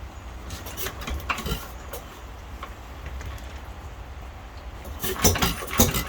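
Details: Unmarked 1 1/2 hp hit-and-miss engine (owner guesses Hercules) with ball governor and air-cooled head, starting after cleanup, governor cleaning and new spring: sharp firing pops at irregular intervals with coasting gaps, later apparently running out of gas; normal hit-and-miss running.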